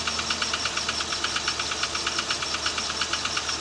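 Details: Idling petrol engine with a rapid, steady metallic knock riding over the exhaust note: connecting rod knock.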